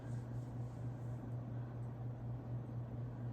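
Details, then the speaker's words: Regency Cabana ceiling fan from about the mid-to-late 2010s, motor running on high, steady low electrical hum with a slight bearing whir and no clicks or rubbing; draws 0.3 A/27.8 W on the lower setting and 0.36 A/44.4 W on high. "The bearings do have a slight bit of a whir to them, it sounds like."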